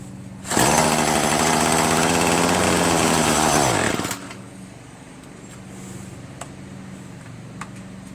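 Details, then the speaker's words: Troy-Bilt TB70SS 33cc two-stroke string trimmer, unused about three years, on fresh gas-oil mix: revs hard and steady, then the pitch sags and drops off at high throttle; it bogs down, needing high/low carburettor mixture screw adjustment. "It's on run and it's not stalling. However, when I do try to high throttle it, it does bog down."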